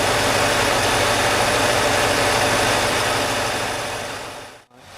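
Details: 1995 Cadillac Eldorado after water pump and thermostat replacement, refilled with about 6 quarts premix coolant, air filter off; steady, even idle with smooth low pulse and intake hiss, no knocks or misses; normal idle.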